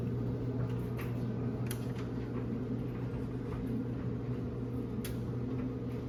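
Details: Samsung dryer after cleaning, replacing the white drum roller, greasing the other rollers and checking fuses and heater: drum turns with a steady low hum and light occasional taps, no grinding or squeal; running normally.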